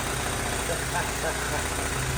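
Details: 1979 Honda Z50R chopper-styled mini bike, single-cylinder, idling steady with an even low buzzing pulse, no hunting or stumbling; runs settled after the intake boot, which had a big vacuum leak causing lean popping, was cut and shortened at the carburetor cap.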